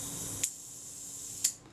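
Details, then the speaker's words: Agfa Agfaflex SLR during servicing: the self-timer gives a steady, even high whirring buzz, then a crisp shutter click ends it; the self-timer and shutter release work properly. "and the shutter fires so that's good self-timer's working fine"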